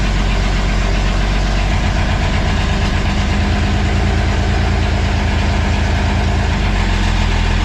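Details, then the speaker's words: Freshly rebuilt Ford Ranger V6 (firing order 1-4-2-5-3-6) first start after three-week reassembly, fuel lines checked leak-free, coolant filled, timing not yet set; steady even low idle with no knock or stumble, running smoothly: normal idle. "how about them apples she's running oh she's running"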